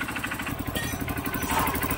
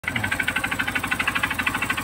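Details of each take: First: Honda CRF150 single, previously noisy with a knock, now quiet: fast, even putter with steady firing pulses and no knocking; idling cleanly and healthy. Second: Honda CRF150 single idling: sharp, steady, hard-edged metallic knock at roughly three per second rides over the idle; knocking suspected to be the connecting rod.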